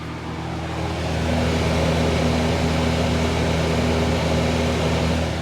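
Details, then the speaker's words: Miller 330 A/BP welder after servicing its cooling fan motor bearings: steady low hum and airy whoosh, much quieter than before, no rattles; normal cooling fan operation. "never heard the machine sound like this wow it's so much quieter"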